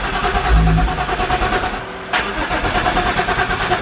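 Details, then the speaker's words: Turbocharged car after welding a cracked turbo exhaust manifold: steady starter cranking with a brief catch and pause, never runs; turbo not spinning, suspected to be bound up, engine later found badly flooded with fuel. "Turbo's not spinning? No. That means it's bound up with something. That's why it's not starting."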